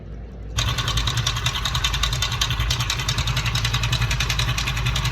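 Motorcycle idling with a quick, uneven ticking clatter, roughly three to four beats a second over the exhaust; something abnormal in the engine.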